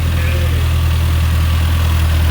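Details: Nissan 240SX S13 with SR swap, first start-up, owner hoping for no more chain knock: steady low, even idle drone with no ticking or slap from the front of the engine; timing chain quiet and settled.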